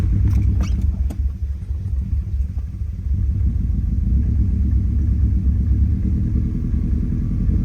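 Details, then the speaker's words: Lumpy, uneven idle with irregular stumbles in the exhaust beat after exhaust work, a re-tightened loose spark plug and battery reset; the cylinder 4 and random misfire is still present, suspected spark plug or coil pack. "sounds way better than before never mind I think those misfire is still there"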